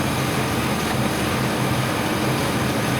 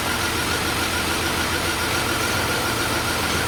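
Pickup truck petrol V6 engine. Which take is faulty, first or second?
second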